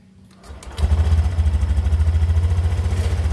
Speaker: nah begitu kira-kira kondisi dari suara motor gua setelah bagian civitnya udah kita ganti beberapa part di dalamnya dan alhamdulillah menurut gua suaranya jadi lebih halus ya